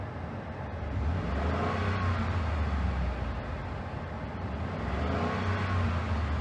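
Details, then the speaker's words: 2013 Ford F-150 with high-speed fan coming on with A/C: steady engine drone and low even hum, compressor whine gone once A/C switched off; normal running with A/C off, faulty A/C compressor to be replaced. "i'll come in and shut off the ac all right now let's listen for it"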